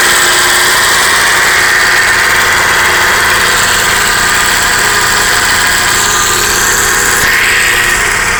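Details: Idling 1995 Acura Integra B18B petrol engine with a busy, hissing, ticking clatter; owner suspects it comes from the cam gear, first time it has done this, cause unconfirmed.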